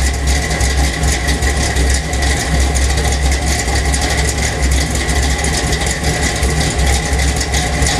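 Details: 1977 Chevy Silverado K10 with 406 small-block V8, 750 Holley double pumper, Crane Energizer 302H cam, Weiand intake, Dynomax headers, Flowmaster exhaust, MSD distributor: lumpy, uneven low idle pulse that never settles; rough idle, cause not pinned down.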